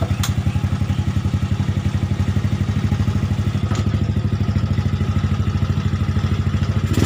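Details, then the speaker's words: Yamaha Nouvo bored up with a 58 mm piston and a large skep carburetor with the velocity stack removed: steady, fast, dull single-cylinder thumping at idle, a sluggish, off-tune running engine that rides slower than stock and uses a lot of fuel. "oke itu ya suaranya seperti itu motor nggak bisa di starter Padahal saya gede maksudnya seher gede tapi motor loyo"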